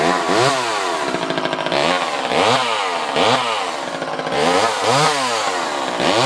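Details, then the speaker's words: Vintage Craftsman 2.1A two-stroke chainsaw, no broken cases, damage or repairs: blipped up and down about once a second, revving cleanly and dropping back without bogging. Normal running. "This is a vintage Craftsman chainsaw. It starts and runs great, has no issues."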